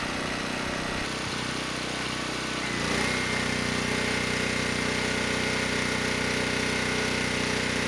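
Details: ETQ 2700 W generator, brushless powerhead, loaded 100 W over rated wattage: drone deepens slightly as load comes on, then holds without hunting or surging; stayed near 61 Hz, 118 V, healthy.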